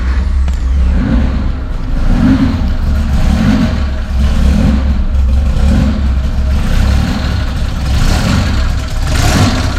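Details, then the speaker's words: Mazda MX3 on first start with fresh bored-out 2.5 forged block, billet rods and pistons, custom cams, new turbo kit: loping, uneven heavy burble wavering about once a second, smoking heavily. Running rich; vacuum leaks found as one cause. "she runs but holy smoking out the shop that's good news though that is good news though okay why is it running so oh I've got vacuum leaks that's one reason for sure"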